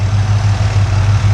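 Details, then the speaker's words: V8 engine pulled from the truck Creampuff, idling on a test stand. Temperature is holding good and oil pressure is about 52 psi. Deep, steady, even rumble with no knocks or ticks; a healthy idle. "Our temperature's staying good and our oil pressure's a little over 50 pounds, 52 pounds."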